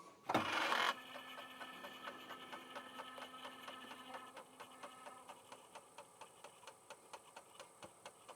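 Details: Franklin Ace 1000 floppy drive verifying a disc just formatted with Locksmith: short whir, then crisp head-step ticks nearly three a second over a faint spin hum; normal seek and verify, drive working.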